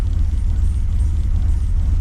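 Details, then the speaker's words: Holden VX SS Commodore with rebuilt 4L60E, in Drive with foot on brake, wheels stopped; deep slow rumble, idle too low around 600 rpm; owner expects a tune will fix it. "wheels are not spinning RPM is pretty low maybe at 600 RPM needs to be higher a tune will will fix"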